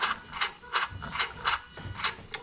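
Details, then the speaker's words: LS430 (2000–2003) 3UZ-FE VVT-i with rebuilt engine harness, bench test: crisp short throttle-motor whirs about three a second as the pedal is pressed; electronic throttle sweeping cleanly and responding normally. "okay so we're happy the pedal all works"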